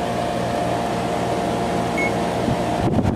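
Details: 2-ton through-wall General Electric garage AC, believed from 2002, fan running: smooth constant airy hum, steady low drone, no rattling or buzzing from the vents.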